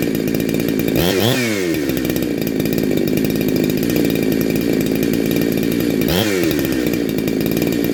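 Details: Neo-tec NH872 chainsaw (372XP clone) with a big bore kit and stock gasket, on a cold start during its second heat cycle. A crisp two-stroke idle breaks into two sharp rev-ups that climb cleanly and drop back without stumbling, sounding awesome.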